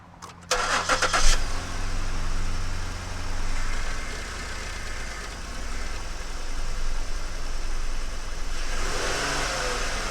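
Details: Ford Flex 3.5 non-turbo, first start after a spark plug change: it cranks briefly, catches quickly and settles into a smooth, even idle, then a light rev rises cleanly. Healthy running.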